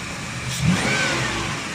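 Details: 2010 Ford Explorer after repairing electronic throttle body actuator motor wiring (had misfire, RPM hunting, no pickup, codes P2100/P2104/P2107): one quick clean rev settling back smoothly, no hesitation or stumble; throttle responding freely.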